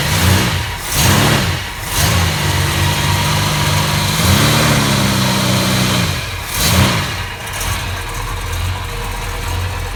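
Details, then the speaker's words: 1969 Plymouth Road Runner 440 with 727 transmission, rebuilt carburetor, new exhaust and fuel sending unit: deep, even V8 burble with several crisp rev blips that rise and fall back smoothly to a steady idle; healthy. "It sounds good though. Sounds really good. Oh man, there's nothing better than that smell. Best smell in the world. A nice smooth idle."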